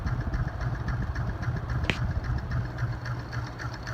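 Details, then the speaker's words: Hunter C-18 ceiling fan, light kit removed and an on/off switch added: a steady hum with a soft rubbing tick three or four times a second; the owner suspects a ring part is pushed in too far, not confirmed. "You can kind of see the ring moving. That's where I believe the sound is. I think one of these is pushed in just a little bit too much."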